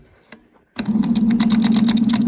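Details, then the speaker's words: Original starter removed from a 1938 Chevrolet Master Deluxe that sat since the early 1970s, bench-tested: after a short silence it spins up to a buzzing whir with an uneven, shaky pulse, shaking like an unbalanced tire. Starter may be retired. "she's real happy I'm just shaking like an unbalanced Tire"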